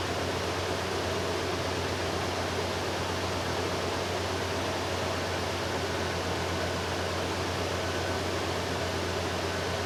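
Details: 2009 Nissan Titan idling right after an oil and filter change during an oil leak repair: steady, even idle with a smooth low hum at constant level, no knocks, ticks or misses; sounds healthy.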